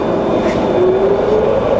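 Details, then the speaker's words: Fully rebuilt Bridgeport variable-speed milling machine, 42-inch table, spindle in high range at around 1,000 RPM: smooth, even, quiet hum with steady mid tone, no knocking, grinding or rumble; spindle bearings healthy at low speed. "That's running around 1,000 RPM at the moment, so it's really nice and quiet."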